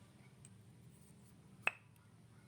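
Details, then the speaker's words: Honda Vario carburetor first-generation engine teardown: valve pulled through a new valve stem seal gives one crisp suction pop, showing the seal grips the stem properly; the old seal made no sound and was worn out. "Nah, harusnya bunyi seperti itu, Guys. Tuh. Harusnya bunyinya seperti ini. Ini masih bagus."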